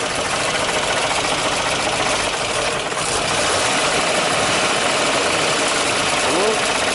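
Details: GAZ-53 V8 engine after rebuild (new conrod bushings) following unusual knock and oil pressure loss, first start: steady, even idle with hissy top end, no knocks or misses; healthy.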